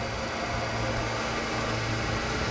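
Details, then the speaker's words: Aircraft combustion heater at low temperature, lit with combustion air, spark and fuel all present: steady low hum with a faint rattling buzz of spark over the blower rush; normal operation. "We have spark, because you can hear it. You can hear the rattle of the spark."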